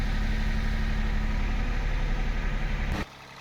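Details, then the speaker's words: 2012 Toyota Vitz that had low rpm, heavy vibration, misfiring and gear-shifting trouble, after cleaning injectors, throttle body, manifold, oxygen and MAP sensors: petrol engine idles evenly for about three seconds, then switched off. "फिर आपको engine start करवा कर check करवाएंगे। इसके RPM बिल्कुल normal होंगे, missing भी नहीं होगी।"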